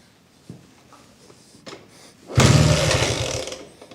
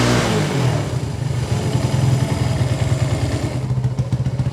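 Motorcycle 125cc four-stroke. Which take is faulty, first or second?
first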